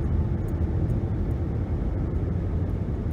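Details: 2011 Nissan Rogue (front-wheel drive) after replacing the wheel hub, coasting down from 60 to 30 mph: low, even road rumble with no hum, buzz or jet-plane drone, no pedal or steering vibration; normal wheel bearings, problem fixed.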